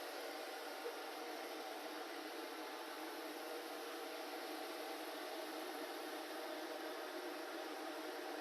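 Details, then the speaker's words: Heater being run toward 300°C, overheat sensor triggered shutdown; fans set to full supercharger and full fan to cool it down: steady airy rush with no rumble or pitch change; blower running flat out as expected. "Right, let me just do a bit of blow drying. All right, full supercharger, full fan. Bet you can't hear me."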